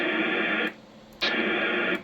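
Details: Icom IC-756PRO on 2 m at 100 W: two bursts of harsh hiss, each under a second, cut off sharply after unkeying, a squelch-tail kerchunk; owner suspects a radio setting, while another radio gives no tail.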